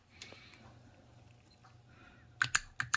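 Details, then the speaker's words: BMW X3 N55 3.0 inline-six that idles high, runs rich, misfires cylinders 6 and 2, then dies: VANOS solenoids bench-tested with 12 volts give four sharp, crisp clicks. Normal VANOS solenoid click; solenoids are working. "there you go that's what we want that one's good and the other one perfect that one's good as well"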